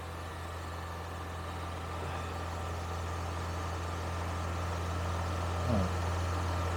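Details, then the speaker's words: Engine at steady high idle around 2500 rpm on a cold start, a constant drone with no dip; pinching a hose made no difference; owner also suspects a blown head gasket and notes smoke. "you notice how many RPM it's at 2500 that's actually not terrible for a cold day"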